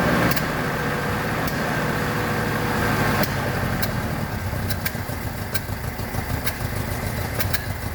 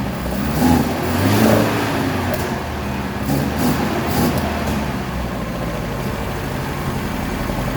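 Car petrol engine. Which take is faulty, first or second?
first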